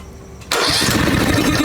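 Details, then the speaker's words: 2003 Snapper rider mower, off idle after electrical repair: engine cranks and tries to kick but won't start, ragged sputtering with popping and flames through the intake; vent tube off, something leaking; reversion suspected, valves to be checked. "keep trying to kick yeah she's trying to kick some of this stuff is leaking out of here this tube is not on that's the vent tube"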